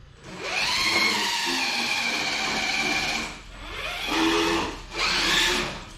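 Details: Traxxas TRX4 crawler previously growling when driven, after rebuild with 35-turn motor, test run: high even motor and gear whine swelling with throttle, no growl or skipping; healthy drivetrain.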